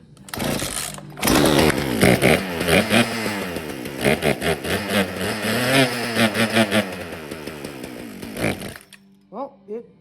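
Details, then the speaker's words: Free Poulan Wild Thing two-stroke chainsaw, first start after Marvel Mystery Oil down the cylinder, before carb adjustment: catches and runs, revving unevenly with a rasping buzz, keeps running. Clutch suspected bad. "it definitely runs well now we at least know we're not wasting our time"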